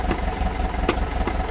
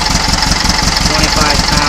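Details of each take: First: Air-cooled 1800 flat-four with Kadron carbs replacing Dellortos, stock pushrods, full 1 1/2 inch header: cold engine ticking over with slow, slightly lumpy beat; idle speed a little too low. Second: Cold air-cooled 1800 flat-four with Kadron carbs, stock pushrods, full 1 1/2 inch header and stinger exhaust: slow, steady putter at very low idle, no misses; much smoother-running engine after changes.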